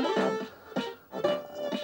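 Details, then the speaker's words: Commodore 1701 PAL CRT monitor (220 V 50 Hz) after full electrolytic capacitor replacement and cleaning, which earlier had sound and image issues: clean, undistorted music from the small speaker, no crackle or hum; audio working normally. "yeah now the sound is good"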